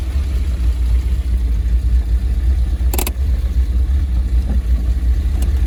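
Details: Triumph TR7 under restoration, on a test drive: steady low engine drone with one sharp clunk midway; intermittent knock from underneath while driving, nothing found under car, cause unknown.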